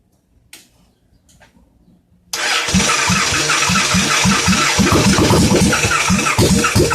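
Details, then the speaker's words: Inferno motorbike with a freshly assembled cheap eBay engine swapped in, first crank on a touch of starting fluid: after a pause it catches with loud, fairly even pops about three per second. The engine fires. "Her little poppity pop."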